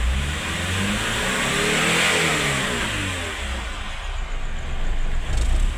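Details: Mitsubishi Space Wagon that would not start, no spark from the distributor, running again after distributor repair; engine climbs smoothly and drops back without stumbling or popping; healthy revving.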